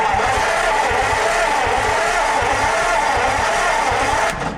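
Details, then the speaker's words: A 1949 Ford farm-find truck, fed from a 12V jump pack wired negative ground straight to the starter with the solenoid suspected bad, gives an even, rhythmic starter churn for about four seconds. The engine cranks freely and isn't seized as feared. "she [ __ ] cranks which is amazing I thought it was locked up for some [ __ ] reason"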